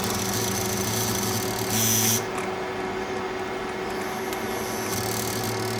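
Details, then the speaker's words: Yuken KDRDE5K proportional solenoid valve (~17.9Ω coil, 12V DC) driven by a PWM driver from an SG-03S 0–10V signal generator, tested dry. As voltage rises it gives a steady low buzzing hum with a brief surge as the spool shifts: normal PWM coil hum. "So, um due to this PWM frequency, this kind of valve started humming. Okay."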